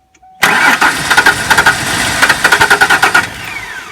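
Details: 1994 Ford Ranger: steady cranking with rapid, uneven chuffs at four to five a second that never pick up. It is trying to catch and later starts running rough.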